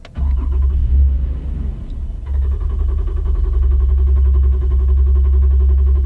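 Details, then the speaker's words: The engine is cranked during the Ediag Elite OBD2 scan tool's cylinder compression test. The starter turns at a steady, even rhythm, the tool shows zero fluctuation, and every cylinder's speed reads the same. Even compression, normal cranking. "you notice the fluctuation was Zero meaning that the engine has great compression"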